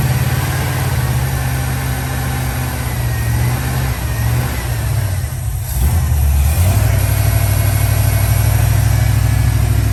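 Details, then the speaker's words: 1969 Dodge Dart V8 after new distributor and points ignition repair, idle to be set around 800–850 rpm: catches on choke into a lumpy, deep cold idle, then a throttle blip with clean pickup; ignition firing properly, burnt valve suspected. "well it's running and driving it around a little bit everything seems to be working fine"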